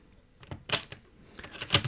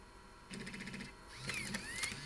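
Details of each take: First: Floppy drive after freeing seized mechanism, fresh grease and reattached springs: two crisp quick mechanical clacks as a disk inserts and ejects freely, no grinding; eject now normal. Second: Macintosh Classic floppy drive after eject repair and cog repositioning, at power-on: brief motor whir with light chatter, worm shaft spins but heads don't step; drive still faulty, heads stuck though eject works and disks insert easily.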